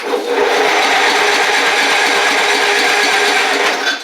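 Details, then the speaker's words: Craftsman DYT4000 riding mower after long storage, solenoid clicking at key turn: steady fast rasping churn as the starter spins the engine evenly with no stall or grind; healthy cranking. "all right we got power which is good I hear the solenoid clicking in there so let's see if I can get it to turn"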